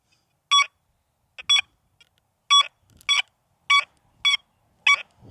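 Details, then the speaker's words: XP Deus II metal detector, reactivity lowered to zero, coil swept over a target: clear high tones in pairs on each sweep, each slightly drawn out; the longer signal expected at minimum reactivity, which shortens at setting five. "I'm going to sweep it on a zero. Give me Give me a minute. I'm going to lower the reactivity to zero."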